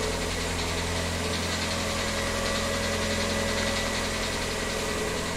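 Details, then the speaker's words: VW Gol G6, four months old with 4,000 km, recorded at a cold early-morning start: steady idle with a regular light knock, about three or four a second, growing louder daily; dealership visit did not fix it. "Esse é o barulho que o Gol G6 está aparecendo aí na hora que liga ele já foi levado na concessionária mas não foi resolvido o problema"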